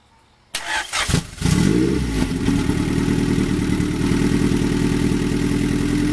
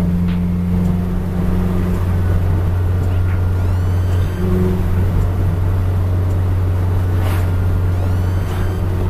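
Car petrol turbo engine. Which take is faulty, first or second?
second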